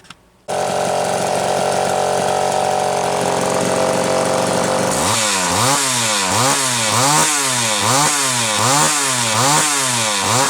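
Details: Rebuilt Homelite Super XL chainsaw after final assembly, rings not yet seated: smooth steady idle, then crisp rhythmic revs rising and falling evenly; running normally.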